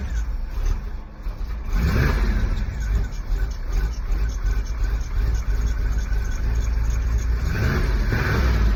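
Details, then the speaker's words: 1991 Camaro, cold start after sitting a while, newly done exhaust: deep, even rumble with two clean blips that rise and settle smoothly. "Doesn't sound too bad. Just got the exhaust done."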